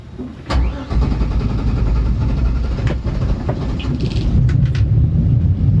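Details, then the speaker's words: Gasoline boat engine after refuelling at Poets Cove, second time it hesitated, cause unknown to owner: cranks for a while before catching, then settles into a steady, rough-edged run; hard starting with long cranking. "Second time she's done that. Thank God it started. Not sure why it hesitated, but we're on our way."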